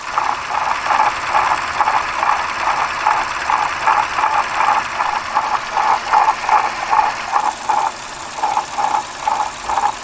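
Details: Lexus GS350 (2006–2011) running with a light, fairly regular clatter about two to three times per second; owner suspects a bad water pump, source unconfirmed.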